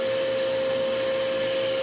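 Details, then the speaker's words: Eureka Powerspeed vacuum found in trash, first test, filter very dirty: steady even motor whine with high pure tone, no labouring; motor sounds fine but almost no suction, presumed clogged though no clogs visible yet. "Oh, yeah, it sounds fine. Clogged for sure."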